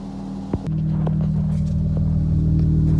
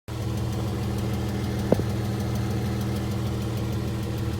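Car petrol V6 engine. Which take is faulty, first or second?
second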